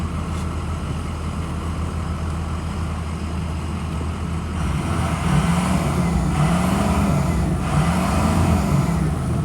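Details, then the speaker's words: 2006 Ford E-450 Blue Bird Handy Bus school bus engine, 117,000 miles, warmed up after over half an hour idling, new drive belt, alternator apparently recently replaced: smooth idle then two clean revs rising and falling evenly, no misfire or knock; motor sounds good. "The motor sounds good."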